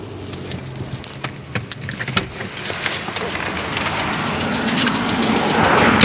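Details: Nissan Almera 1.8: sharp uneven knocks tick through the idle, then get buried as revs climb; dipstick dry soon after topping up oil and oil spits from the exhaust when revved; hard internal engine knock, cause unknown.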